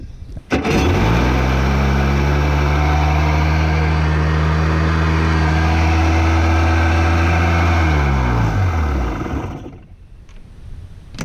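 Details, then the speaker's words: 1992 Yamaha WaveRunner WR500 two-stroke at the lake, after seized-engine repair, new battery and new carburetor: catches instantly, smooth steady drone with no stumbles, then shuts down cleanly; runs properly. "There we go. Hell yeah, starts right up."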